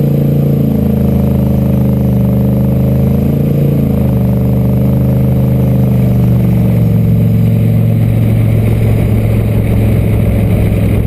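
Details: LQ4 V8 turbo-swapped Ford Ranger after no-start fix (a disabled DTC code, not the MAP sensor): deep steady drone holding even as it pulls, slight pitch rise then settling, no stumble or bog; running properly.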